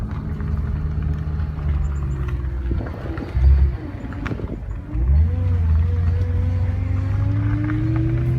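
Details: BMW E92 M3 running: thin wavering tone that rises and climbs steadily with revs; unexplained whine, owner suspects power steering fluid or filter, not confirmed.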